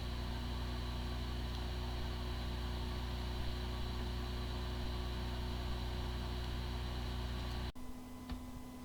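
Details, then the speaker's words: WD hard drive with disk firmware corruption: steady spindle hum, smooth even whir, no clicks or buzzing; sounds like a good drive spinning normally but the computer cannot detect it. "the following is the sound from one of the hard drive which experienced disk firmware corruption it sounds like a good hard drive but the computer cannot detect hard drive"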